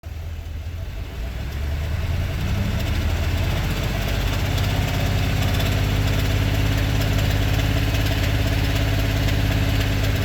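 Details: 2022 Ford F-250 7.3 V8 at 25,000 miles, idling: light, fairly even tick about three per second over the idle; owner suspects bad lifters, cause not confirmed.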